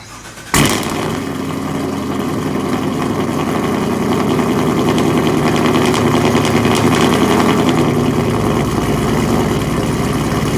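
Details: V8 with Kooks long tubes, catless, muffler delete and BTR stage 1 cam fires up into a loud, lumpy cold idle with irregular popping through the open exhaust; cause unknown.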